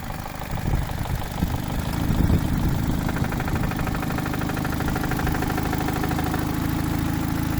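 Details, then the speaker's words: Chevrolet Cruze at idle: hard, rough knocking appears when clutch pedal is pressed and stops when released; cause unknown. "Появился у меня такой стук, сцепление выжимаю, и тут появляется жесткий стук."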